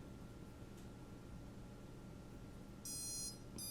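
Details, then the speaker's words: Shrill high beeps in two bursts, the first about half a second, as the FC-ESC stack cable (not the wires) is flexed on an HGLRC Arrow stack; known failing-cable issue causing an intermittent FC-ESC connection fault. "what i'm doing is i'm manipulating the cable this is what you have to pay attention to i'm taking the cable it's got nothing to do with the wires"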